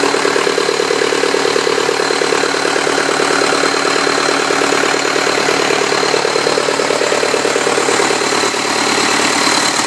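Even, steady diesel idle with a smooth regular beat around three per second, no knocks or misses; sounds healthy.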